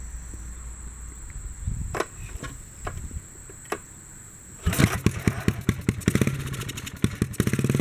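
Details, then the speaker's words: 1957 Bolens tractor single-cylinder, fuel pump bypassed to gravity feed, choke on: a few pulls then catches and runs fast with a rapid popping beat that won't drop to idle when throttled down; overspeeding, governor suspected not working. "feels like the governor's not working yeah even if i throttle down it don't get to idle but i can push back on the carburetor lever here"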